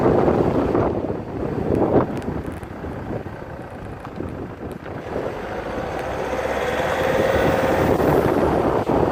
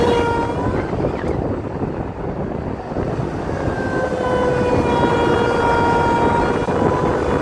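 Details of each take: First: Land Rover Freelander 2 SD4 2.2 diesel on a road test after fixing a boost leak in a reused hose. It pulls smoothly and rises evenly under load with no hiss or whoosh, only wind and road noise; the noise is gone: normal acceleration. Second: Land Rover Freelander 2 SD4 2.2 diesel under load: a thin whistling tone rises above engine and road noise as boost builds, starting near 2000 rpm. Boost-related fault suspected, not confirmed.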